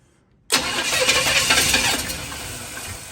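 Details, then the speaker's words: $100 Chevy 350 V8 for a 1972 Chevy 4x4 truck, first start attempt, no fuel heard, timing suspected off: starter spins with a quick, even churn but never catches; crank no start. "I don't hear any gas in there. I'm like not getting any fuel. I think our timing might be off."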